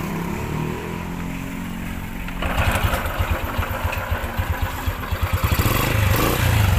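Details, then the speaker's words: Honda Wave 100 small motorcycle engine running very noisy with a heavy rhythmic knock about four a second from a worn connecting rod big end; oil also leaking near the magneto. "100 yun sobrang ingay talaga ung kanyang buong makina kasi ak talaga na overhaul na para origin refresh"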